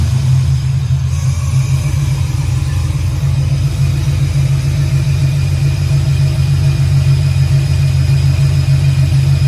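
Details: 1968 Camaro V8 on second start-up, Holley EFI without correct injector data, idle not yet adjusted: deep even rumble, steady firing, clean revs, no knocks or misses; a little smoky from oil in cylinders, oil pressure reads error; normal revving.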